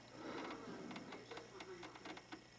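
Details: Commodore 1541 disk drive at power-up: red LED stays on and a quiet steady spindle motor hum with light whirring ticks never stops; fault was the DOS ROM at UB4.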